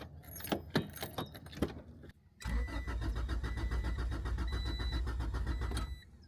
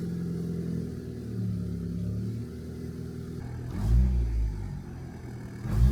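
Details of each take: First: Turbo Honda Integra cranking: keys jingle, then the starter cranks steadily for about three seconds without firing; no priming whir from the normally loud AEM 400 fuel pump is heard; crank, no start, fuel pump suspected. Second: Turbo Honda Integra: clean, crisp blips from steady idle with no stumble or misfire; idling at 14 AFR in open loop, revving normally.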